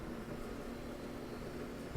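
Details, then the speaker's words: LG DLG5988W gas dryer after new rollers, drive belt and tensioner plus lint cleaning (it had smelled of burning), run with the back open to hear the rollers: steady, even low drum rumble, much quieter than before, no thumps or rubbing; good repair. "and it sounds really good uh it's much quieter than it was there's no thumps anymore i don't hear any rubbing"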